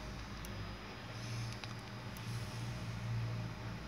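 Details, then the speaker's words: Faulty dual-output 5V/12V switch-mode power supply with fluctuating 12V and 5V outputs: faint, irregular tick-tick hiccup over a low hum; cause a failed frequency/timing capacitor. "Sürekli bir dalgalanma var gördüğünüz gibi. Devrede de sürekli tık tık tık tık tık diye ses geliyor."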